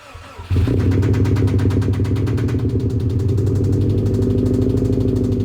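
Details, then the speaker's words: Car at a track day after something went wrong on a run: engine starts and runs with a heavy, uneven low pulsing about three beats a second; rod knock first suspected but probably something else, cause unconfirmed. "we think it's rod knock uh well we pretty much know it's something else"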